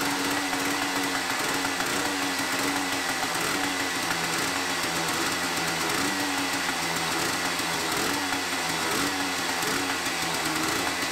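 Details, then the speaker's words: 45-year-old 1974 Yamaha DT250 Enduro two-stroke, first start below freezing after many kicks, fresh B9ES plug, idle screw jacked up. Raspy, uneven, stumbling idle, running poorly with no air filter (or only a foam one) while jetted for stock. "Now, it's not running well, and it's not running well because we're not really running any sort of air filter."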